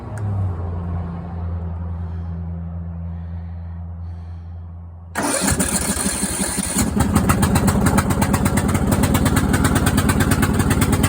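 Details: Craftsman riding mower that fired but wouldn't run, after new fuel shutoff solenoid, fuel filter, spark plug and fuel treatment (suspected water in fuel): cranks briefly, catches, settles into steady even beat, no misses or knocks; normal running.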